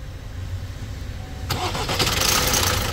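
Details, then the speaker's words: Opel Astra J 1.6 diesel, manual, 136 hp, 98,000 km, cold morning start: after cranking, fast metallic clatter over the idle from a worn timing chain, later fading; chain replaced. "araç sabah çalışırken soğuk çalışıyor ve zincir ses yapıyor onu göreceğiz"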